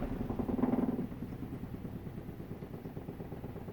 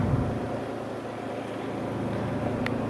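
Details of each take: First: Kuppet compact RV washer/spinner combo (1040603600) on a short spin under one minute with clothes loaded: soft rhythmic thumping about four times a second that fades as the drum slows, the basket wobbling off balance. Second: Kuppet compact RV washer/spinner combo (1040603600) spinning with the spinner plate in and braced until it settles: steady, even low hum with no bangs or thumps, the spinner running smoothly and balanced.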